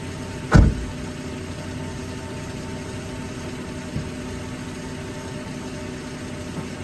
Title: Suspension: Dangerous‼️I Sat My phone Inside Suspension To Hear popping Noise #reaction #dodge